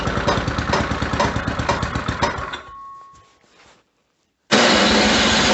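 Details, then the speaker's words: Snowblower at -10°F just after a hard, likely flooded start: even knocking about two and a half per second over the small engine's run until it cuts out; source unknown, owner says not from the engine. "not sure what's making that knocking sound it's not coming from the engine though"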